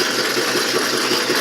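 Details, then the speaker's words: Can crusher machine after screw-on bracing of its frame to stop wobble; steady even motor and belt drone with no knocking or rattling; frame stable with no wobble, though the 14-inch pulley still wobbles. "As you can see, there's no wobble. Even though the pulley is wobbling,"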